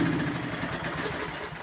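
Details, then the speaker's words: Nearly new lawn mower (10 hours) that had been surging and sputtering, running after a mouse was found in the muffler: an even, smooth patter with no surging, which is a normal idle. "now that's the way they supposed to sound not like that"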